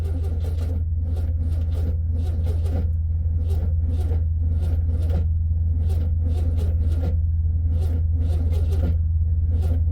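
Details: 1967 VW Beetle air-cooled flat-four at cold idle after starting in about 8°F, battery a little low: low, even putter firing steadily, no knocking or misses; normal cold idle, possible generator problem noted.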